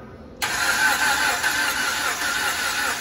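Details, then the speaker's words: 2011 Chrysler 200 cranking, won't start, during compression/head gasket test with lab scope: uneven, lopsided starter beat with only one cylinder hitting, suggesting low compression on the others; cause not confirmed. "You'll hear only one cylinder hitting when they crank this over."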